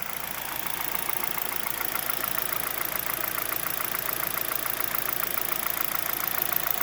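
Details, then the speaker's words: 2011 Hyundai Solaris G4FC, 166k km, 15°C outside: light tapping about twice a second at ~900 rpm idle, appearing at 58°C coolant, from the top end; owner suspects piston slap or tight valve clearances, chain/tensioner/phaser new. "так температура 58 обороты считай 900 начал появляться стук сейчас вот он появляется стук с прогревом становится отчётливый"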